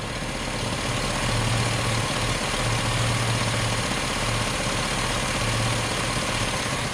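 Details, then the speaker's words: Idling truck after an engine swap, cooling system being burped: a low buzzing pulse comes and goes about every second over the engine; owner suspects the EVAP purge valve solenoid atop the intake manifold. "I think it might have something to do with like the EVAP system the purge valve or something like that"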